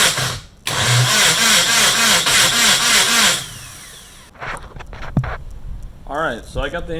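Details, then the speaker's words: Nissan KA24DET engine build cranked on the starter with fuel pump and ignition disconnected, turbo oil line disconnected, to build oil pressure; even cranking about three to four compression pulses a second, no firing, priming oil. "now the batteries in i guess let's start cranking see how long it takes for this pressure to build"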